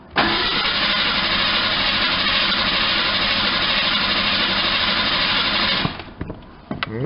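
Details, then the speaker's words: Ford Ranger pickup unstarted for about 8 years, just after fuel pump install with 5 gallons of gas: starter spins evenly, about three turns a second for six seconds, never catches; no fuel pressure, pump connector not plugged in fully. "into the ranger we go oh that's not a good sign hoping for a little better results than that that is disappointing"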